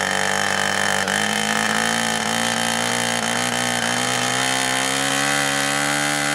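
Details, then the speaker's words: 2-cycle nitro RC airplane engine on first start, running rich and four-stroking with a steady, slightly rising buzz that lacks crispness, before the stiff needle is leaned out. "right now it's four-stroking now right here you can see i'm having a little bit of trouble with the needle"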